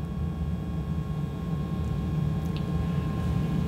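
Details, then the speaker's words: Gas furnace with hot surface igniter, door on, low fire: even low rumble and steady hum, no rattles, as the blower motor is about to click on. Normal operation. "so the next thing that'll happen on here is the blower motor will actually turn on for us and that'll allow air to flow up through the furnace through the assembly here we should hear it click any second"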